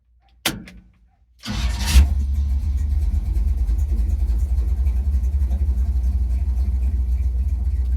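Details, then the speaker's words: Chevrolet C10 small V8, possibly 283, with new Maxpeedingrods Quadrajet carburetor, warm restart at operating temperature with 160° thermostat: door thump, short crank, fires immediately into steady even low idle; owner thinks timing may need adjustment. "sounds like maybe maybe you could use a little bit of timing adjustment uh it's probably screwed up before we're being honest so and it's it's at operating temp"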